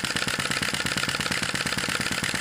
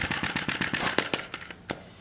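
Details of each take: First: Sai Hu V1-45 flame-licker vacuum engine, brass cylinder and flywheel, hot cylinder, wick flame reduced: quick even puffing tick about two per second with light mechanical patter, steady and smooth at typical speed, running well. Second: Sai Hu V1-45 flame-licker vacuum engine with brass cylinder and piston, cylinder still warming up during start attempts: a dozen sharp pops at about eight per second, slowing and dying out. It fires but won't sustain; flame size and position are being adjusted.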